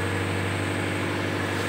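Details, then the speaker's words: Engine idling after a cold start with a steady thin high squeal over an even rumble from a slipping drive (fan) belt; the squeal fades on its own within seconds to a minute or two. Not a serious fault. "suara decitan pada area mesin tersebut yang kita dengar tadi itu sebenarnya adalah suara vanbell selip Jadi bukan suatu kerusakan yang fatal"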